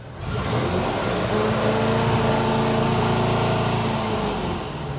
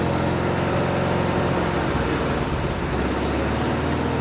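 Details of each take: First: 1974 VW Bus engine after tune, static-timed, in first gear: engine climbs cleanly through the revs with a smooth rising note, no misses or rattles; healthy high revving, though slight backfire noted later near 3000–3500 rpm. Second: 1974 VW Bus air-cooled flat-four after tune-up: runs rough and uneven with a lumpy, wavering beat; beyond a quarter throttle it stumbles but runs on full throttle; part-throttle stumble, cause not yet found.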